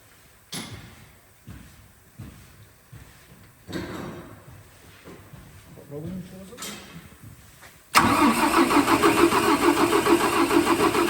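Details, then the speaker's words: Mercedes Actros OM501 diesel, first start after cylinder head repair for sunken intake valves, valve adjustment (exhaust 60, intake 40) and repaired injectors: several slow cranking bursts, then catches into a steady, even idle with no knocks or misses; normal. "mọi thứ sẽ khởi động tốt Vâng, có vẻ như nó đang hoạt động, vâng."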